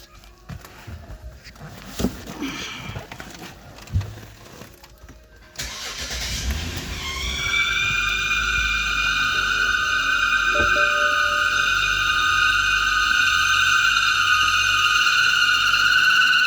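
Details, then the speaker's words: 2012 BMW X5 xDrive 35i: loud steady high-pitched whine over idle after start, gone when cap removed; failed PCV valve built into the valve cover, fixed by replacing cover and gasket. "2012 BMW X5. Got a problem making a whining noise."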